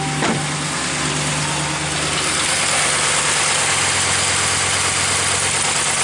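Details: 2015 Ram 1500 at idle after repairing A/C compressor clutch connector (clutch itself fine, new compressor was quoted): steady even idle with constant blower rush, no cycling, rattles or knocks; vent air about 50 degrees, A/C working normally.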